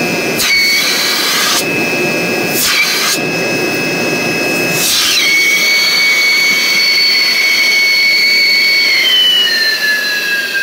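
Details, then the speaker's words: 3 hp regenerative blower for an industrial vacuum system running normally: loud, steady high-frequency intake whistle from its many stages, shifting pitch slightly, with the motor barely audible over it. "it's got a pretty high frequency owing to the great number of stages that the air is going through"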